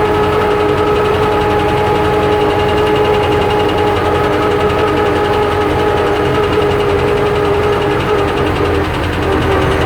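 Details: YuMZ EO-2621 diesel at a loud, steady idle: rough, rapid knocking under the clatter, the pistons knocking in the bores; piston knock.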